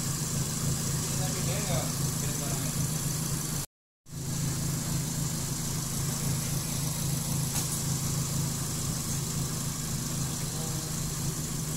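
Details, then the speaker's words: Suzuki Swift after throttle body idle adjustment to fix a high, erratic idle: steady, even smooth low hum with no hunting or surging at normal idle speed; the rpm is now set and stable. AC not yet installed. "Oke, selesai ya. RPM udah mantap."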